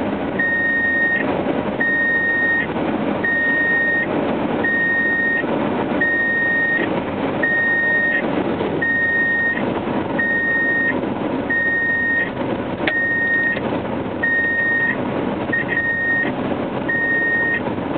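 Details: 1997 Subaru Legacy while driving: steady high beep about every 1.5 seconds, randomly for years; door sensors ruled out, stopped by cutting the dash buzzer's wires behind the gauge cluster.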